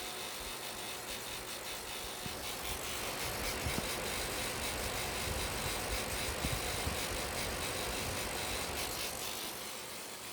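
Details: Small cooling fan whirring with rapid, fairly steady ticking, about three to four clicks a second; fan badly damaged, owner suspects dusting with 100 psi air caused it.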